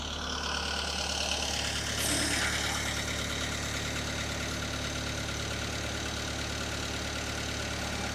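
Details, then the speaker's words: Marine diesel, not run in a while, at about 1100 RPM during a fresh-water flush from the dock, water temp 160°F and oil pressure above its usual 50; steady even fast-idle run with hissy water flush, no knocks, normal running. "I'm running at about 1100 RPM, and my oil pressure's up really high."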